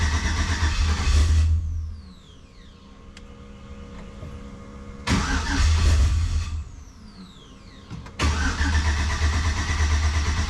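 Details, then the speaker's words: Jeep TJ with 5.3 V8 swap on first fire-up, running off a jump box, MAF sensor disconnected: repeated cranking with weak attempts to fire, never catching; owner suspects the fuel pump isn't shutting off, possibly the VATS. "Fuel pump, power up to the front. She's trying."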